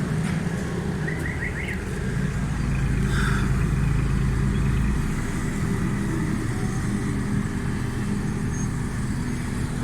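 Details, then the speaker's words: Suzuki Cultus three-cylinder petrol car after repair; steady, low three-cylinder burble with even beat, no misses or knocks, outdoor background; normal running, no problem. "बिल्कुल ठीक है गाड़ी किसी किस्म का कोई प्रॉब्लम"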